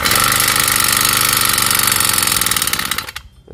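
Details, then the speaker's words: Honda GX35 four-stroke engine, valves already adjusted, buzzes harshly for three seconds then dies; no compression due to very worn, loose piston rings. "ก็ดับไปครับเพราะว่าแรงอัดไม่มีนะครับแรงอัดไม่มีหลวมมากครับหลวมมากครับ"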